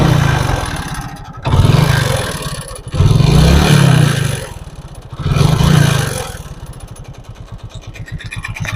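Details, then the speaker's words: Old Hero Glamour, BS carburetor model, kick-started: rough clattering rattle over a lumpy idle, rising with throttle blips, sounds like heavy wear. Timing chain noise. "तो आप लोग ने सुन लिया होगा कि किस तरह से इंजन से आवाज आ रहा है बहुत खराब आ रहा है ऐसा लग रहा है कि कोई चीज बहुत ज्यादा घिस रहा है यह क्या चीज का आवाज है दोस्तों यह हमारा टाइमिंग चेन का आवाज सुनाई दे रहा है"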